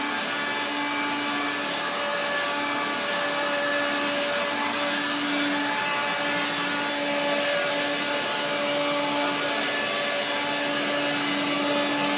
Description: Okay, My Blue Regina Electrikbroom 3 Speed Vacuum From The 1970s Came Today, But Goodness Me, That Motor Is Dry After Someone Washed It, Especially The Fan, It Makes Grinding Noises When I Was Vacuuming The Floor Where The Roomba Doesn't Reach.